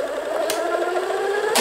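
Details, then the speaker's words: 1990s Kenmore sewing machine: motor hums at a steady pitch with no rhythmic needle clatter, so the motor runs but the needle doesn't move; owner suspects the gearbox failed. "no it doesn't do anything sometimes when you hit reverse it grabs so let me do but now as you can see nothing is happening you hear a bit of a motor difference"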